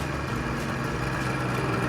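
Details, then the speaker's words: Suzuki GT380 three-cylinder two-stroke previously not firing on cylinder 2, after carburetor repair, warmed up and outdoors: steady even idle buzz with no dropouts, all three cylinders firing; normal idle. "There we go, she's all running. So with the carburetor running on all 3 cylinders. I have already ran it and warmed it up."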